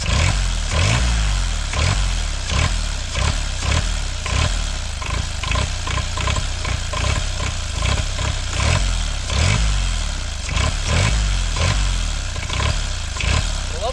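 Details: Kubota L722 three-cylinder diesel, about 0.8 L, run away at startup: it races hard and unsteadily far above idle with no throttle control, and the levers do nothing. Owner suspects the injection pump plunger is stuck at full fuel.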